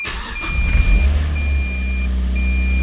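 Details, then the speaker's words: 2006 Mazda Miata salvage auction car, rear damage, clutch pushed in; quick crank, catches at once and settles into smooth even idle with steady chime, starts right up; normal cold start. "So, it starts right up."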